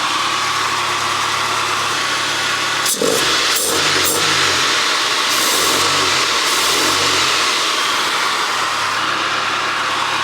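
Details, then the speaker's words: 1993 Rover 220 coupe, T-series engine, first run after head gasket and timing belt change, warming up for thermostat to open: settled, even idle with a couple of brief blips, no ticking or knocking, no exhaust blow; oil burning off block. Normal idle. "but I will just run it and hopefully we'll get the thermost to open in a minute I can't hear any exhaust blowing which is good"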